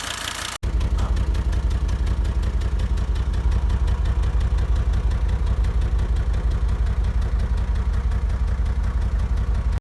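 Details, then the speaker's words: Digby's five-cylinder diesel idling the day after an "Italian tune-up" hard drive, idle set up a bit: steady metallic tick about three per second over the clatter, metal-on-metal noise traced to the air-conditioning compressor pulley, belt not fitted. "we have some noise in this like something metal with metal touching and is the air condition problem"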